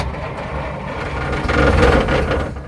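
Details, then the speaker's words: Abandoned 1947 Dodge ex-grain truck, first start attempt in neutral with choke and brake cleaner in the carburetor: a few ragged firing bursts that swell then fade; no fuel reaching the carburetor bowl, weak battery. "We're in neutral. And go. It just hit. No way. Come on."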